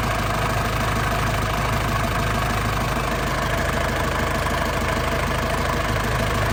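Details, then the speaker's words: Warm 2002 Panther LS diesel idling hot: a steady, loud, even clatter with no misses, surges or shaking, and no smoke or oil seepage. A smooth, stable, normal warm idle. "Suaranya masih pulen banget ya. Ini kondisi sudah panas. Mesinnya tanpa goyang ya."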